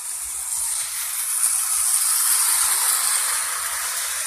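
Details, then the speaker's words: Santa Fe O-gauge locomotive pulling a long line of old Marx freight cars at half speed: even high whirring hiss of motor and wheels at steady pitch, no stutter or grind; runs smoothly, normal running. "you can see it there running around. It runs really good, and I've got a long line of old Marx freight cars hooked up to it."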